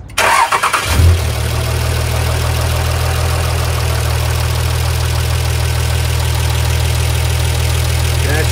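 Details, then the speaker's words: Diesel engine just after valve lash adjustment, rocker covers off to watch oil fill the rockers: brief crank, catches within a second and settles into a steady, even low idle with no knocks or ticking; normal start-up. "so at this point we're going to fire it up and listen to it with it open just to verify everything"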